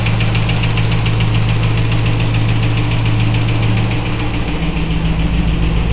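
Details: 2000 Pontiac Trans Am LS1 V8, 95k miles, FAST 92mm manifold and throttle body, SLP FlowPac, 3.90 gears: deep idle rumble with a fast, light, even ticking that just started, oil fine; cause unknown.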